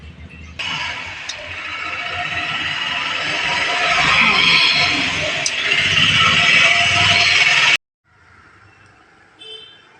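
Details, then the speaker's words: Cooler exhaust fan motor running slowly with a harsh, hissy roar and loose rattle from a worn 6202 bearing, with rust on winding connections reducing speed; fixed by cleaning connections and fitting a new bearing. "Bearing में चाल हो गई है इसलिए आवाजें कर रहा था"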